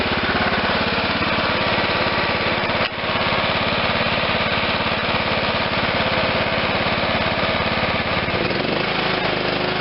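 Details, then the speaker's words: John Deere LT160 lawn tractor, Kohler Command 16 hp, after the carburettor idle screw was turned up from far too low. Steady, even putter with no misses or hunting; idle sounds normal. "pretty good i'll go up just a hair clockwise is higher idle that sounds normal"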